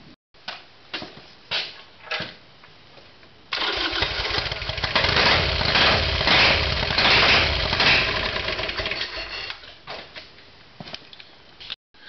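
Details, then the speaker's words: Harley Sportster twin after carburetor soaked clean in kerosene, fresh petrol, full tank, good spark on front and rear cylinders: starter churns at even fast beat for several seconds but never fires; crank, no start, owner next trying new ignition switch. "there you go. That's motorbikes. Perfect fuel system. Good spark at the front and rear cylinder. And that's the result."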